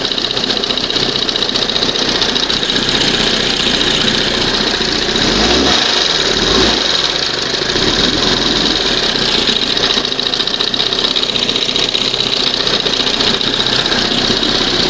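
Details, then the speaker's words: 1971 Johnson 20 hp outboard, warmed up after a throttle linkage slop fix, idle turned all the way down: fast, uneven, hissy buzz that barely hangs on. Rough idle; throttle butterfly slightly off, leaning the mixture smooths it. "If I try to bring it down idle all the way. Just barely hanging on."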